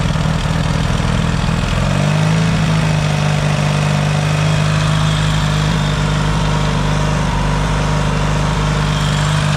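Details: Yamaha XS650 twin, engine reinstalled after fixing its oil-burning problem, now pretty warm, points still to be properly adjusted: even steady low idle settling after a brief rev rise, no misses or knocks; no smoke, healthy.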